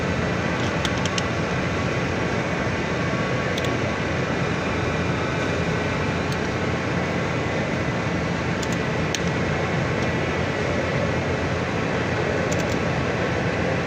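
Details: Forklift engine idling smoothly with a steady, even hum and no stumbles or skipped beats, after all four spark plugs were replaced to cure a misfire.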